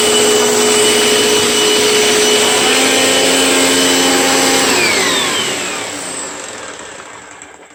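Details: Very old Panasonic Performance Plus Platinum vacuum cleaner from Goodwill: strong steady motor whine with airflow rush, then smooth falling spin-down at switch-off, no grinding or rattle; healthy vacuum motor.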